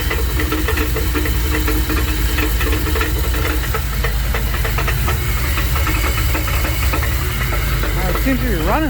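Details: 1984 Dodge Ram D150 with 360 small-block V8, suddenly banging after a 5-hour road trip: heavy rhythmic banging at idle that follows engine speed; cause found to be loose torque converter bolts at the flexplate.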